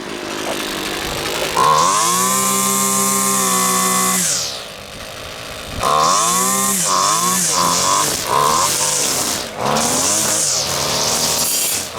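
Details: Husqvarna two-stroke trimmer after carburetor clean and reassembly, test run without air filter: snaps cleanly from idle to a steady high scream and back over several blips; running properly, high needle maybe needs slight tweak.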